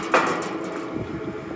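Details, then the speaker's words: Valley Pioneer GF480 trommel dirt screener on a VFD set to 308 RPM: a sharp clunk then a softer knock over the slow drum rumble; owner first suspects a bolt head; later found to be weld beads catching the drive wheel. "Really cannot tell what that clunking is. Might just be one of these bolt heads that's sticking out longer or something."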